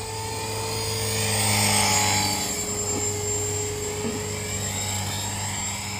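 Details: Trex 450 helicopter hovering with Common-Sense RC TR450-35 3500kv motor, 13t pinion, after a crash: steady high squeal over rotor whir throughout, from a bad main shaft bearing.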